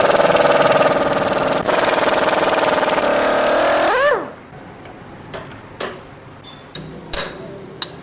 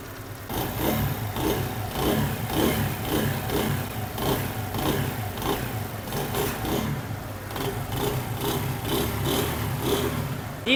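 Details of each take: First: Motorcycle that makes noise on starting after standing two to three hours: fast metallic chatter over the running engine, about four beats a second, then shutdown clicks; suspected timing chain or tensioner rod. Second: Motorcycle after complete timing chain replacement, fixing a noise that appeared on starting after standing a few hours: small single ticks over with a steady patter, no chain rattle or clatter on top; engine sound now fine.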